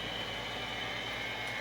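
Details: Overhead gas shop heater after repair with two skateboard bearings: gas valve clicks open, hot surface igniter lights, then quiet steady airy rush with faint even hum, no rattle or motor drone. Normal running.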